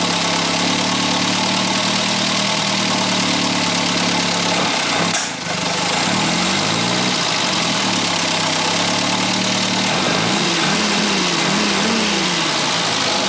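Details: 1962 Austin-Healey Sprite after 10+ years' storage, after engine teardown fixing a bottom-end knock: smooth steady idle, even low rumble, no bottom-end tapping; running healthy.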